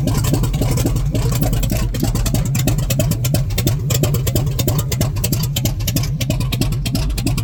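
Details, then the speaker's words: Rotted squarebody Chevy with a 454 big block, fuel tank refitted and fuel pump running: it fires and runs raggedly without settling. The owner suspects a vacuum leak, and fuel delivery is also questioned. "ain't that [Music] something sh a man she must have a vacuum leak"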